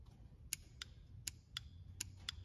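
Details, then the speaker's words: New Pierburg 7.22908.03.0 solenoid for the NPP exhaust of a 2008 C6 Corvette, bench-tested on 12 V, gives sharp light clicks over a quiet low hum; the old one did not click. Normal solenoid operation. "that means the solenoid is working this old one did not do that so when we hook this up this should make the exhaust work"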